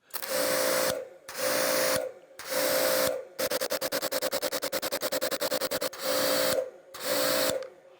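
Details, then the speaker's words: Active 2.3 electric pressure washer on the factory hose, trigger pulled and released 30 times: motor starts and stops crisply with each pull, no lag or stutter, normal on/off cycling. "okay very very precise machine right it's firing on and off perfectly no issues"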